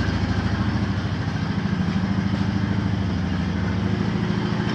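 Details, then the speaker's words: 2014 Honda Foreman TRX500 4x4 single-cylinder quad, 444 miles, cold start with the electric fuel pump priming an empty line. Once running it settles into a steady, even low idle thump with no misses, knocks or rattles. "Takes a minute to get the fuel up there to the line because the drain's all out. And once she gets running, that's it."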